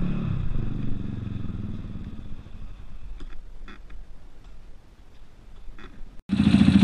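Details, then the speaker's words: Zontes EFI motorcycle repeatedly cutting out: uneven, rough, low-pitched idle that sags and fades away gradually rather than a sudden cut, as if idle set too low; earlier air leak thought unlikely, spark plug suspected, idle to be adjusted at injection system. "it did cut out it didn't it wasn't a sudden cut out this time which is which is something that's good it was a um like the idol was low"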